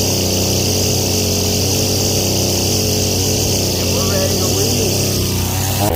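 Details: Husqvarna 322L two-stroke trimmer, sat for years, after carburetor rebuild and low/high screws set 4.5 and 4 turns out: holds a steady high buzz with no stumbling or surging; running properly.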